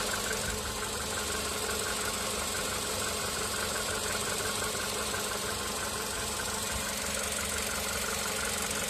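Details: VW Polo Sedan CFNA engine at idle during warm-up on firmware 9970: a hollow knock about twice a second over the steady hum; piston slap, weaker before the 5th minute of warm-up, while on firmware 8252 the strong knock began at the 2nd minute.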